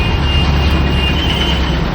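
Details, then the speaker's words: Mixer grinder after replacing the worn-round jar shaft and motor coupler, jar fitted and checked for free rotation: steady, even low hum with no rattle or knocking; motor and jar drive run smoothly, problem fixed. "Shop tone nap మనం ఇప్పుడు ఈ రెండు మార్చాము mixie problem complete అయిపోయిందండి"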